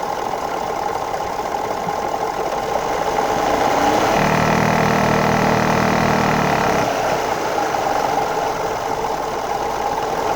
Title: 2011 F150 3.5L Ecoboost Vibrating/Knocking Noise